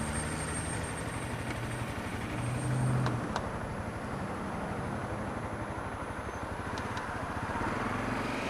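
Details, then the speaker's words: Honda CRF250L with EJK fuel controller: quick, fairly regular light knock, about four a second, at idle, occurring only in the first 5 minutes of riding, felt through the throttle, regardless of clutch. Source unknown; camshaft, valve clearance and fuel controller to be checked. "so if anybody has any um any opinions on what might be causing that noise obviously I want to get Honda to check it out but they can't do much unless they hear it"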